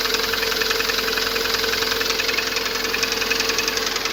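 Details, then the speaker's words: Lada Priora 2170 engine at idle with a sharp, even tapping of about 3–4 knocks a second; hydraulic lifters already replaced without effect, owner suspects camshaft over piston group since no oil is burned; head to be opened. "вот короче вот такой вот стук чит почему вки с головке чем к поршневой значит"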